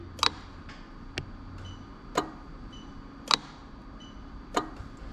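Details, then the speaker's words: Lexus IS300 2JZ-GE VVT-i engine harness swapped into an IS200: sharp, evenly spaced clicks about once a second as the ECU-driven A/C magnetic clutch relay and compressor clutch switch normally. "okay so hopefully you can actually see the motor clicking in and you can hear the relay clicking because the relays in that little fuse box over there like that"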